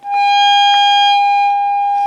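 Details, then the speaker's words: AWA R7077 beat frequency oscillator, circa 1943, restored and calibrated with flutter minimized, through a speaker: clean steady high tone at constant pitch and loudness, possibly 800 kc/s (uncertain); normal oscillator tone. "as it said either stop the fluttering or reduce it so it's very very slow and that's calibrated so i wonder if that is 800 um what is it kilo cycles per second who knows who knows"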